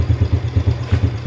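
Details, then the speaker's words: Yamaha Vega ZR motorcycle after replacing the cam chain to cure a rough engine noise: a steady, even low idle thump around six beats a second with no tapping or rattle. The engine now runs smooth like new. "Oke mesinnya halus ya Kang Brooklyn YIMM kayak mesin baru mulus gak ada suaranya"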